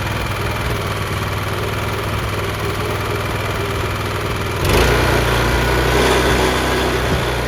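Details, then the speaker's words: Honda FRC 800 rototiller at low idle after service, fresh oil, idle speed and carburetor tuning dropped slightly, no leaks: even steady putter about four beats a second, no misses, slight rise in speed; thought to run good now. "I dropped the idle speed just a little bit, and I dropped the carburetor tuning just a little bit. So I think it runs good now."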